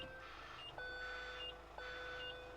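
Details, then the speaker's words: Iveco Daily van with fitted reversing alarm, in reverse with ignition on: steady high beep about once a second over quiet idle, plus a pinging cab noise; reversing alarm working. "apart from that annoying pinging noise uh you can hear if you just go out there you'll hear the reverse"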